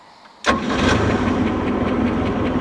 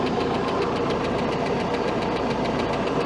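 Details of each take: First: 1967 Starcraft Holiday with 120 hp Mercruiser I/O four-cylinder and PerTronix ignition, warmed up: barely cranks before catching instantly, then a smooth, steady idle. Normal quick start; a ticking noise still needs fixing. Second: 1967 Starcraft boat with 120hp Mercruiser iron duke engine, timing set about 8 degrees advanced: steady fast top-end tick at smooth idle from one cylinder; owner suspects a stuck lifter or misset valve lash, not confirmed.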